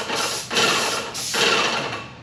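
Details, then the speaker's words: Airless paint sprayer with a new tip and new tip guard. Two steady bursts of fine, even hiss as the trigger is pulled, a major difference from the previous sound of the blown-out tip. Normal spray. "so they say with the tip blown out you can hear a lot of hissing"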